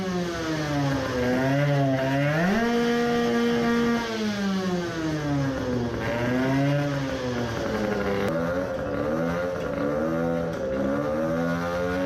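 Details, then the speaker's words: 20 hp tuned two-stroke moped after fitting 0.4 mm Malle Carbonio carbon-fibre reeds: revs climb to a high scream with slight roughness at the top but no coughing; mild high-rpm misfire persists, limit around 15000–16000 rpm. "does it rev now like hell... still misfiring but not so bad"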